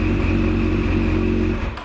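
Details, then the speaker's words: Yamaha FZ8 with no-start-from-button complaint, on reinstalled weaker battery: starts after slightly longer cranking, steady clean engine note for over a second, then shut off and winding down, no misfire. Normal running. "so once again I show the battery of course it turns a little longer because it is a little weaker here it is, but it still starts and everything works"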